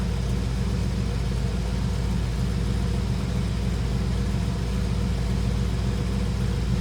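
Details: 1967 Chevrolet Camaro RS coupe idling after its cold start: smooth, even low rumble at a steady idle with no misses, ticks or knocks, a clean normal idle.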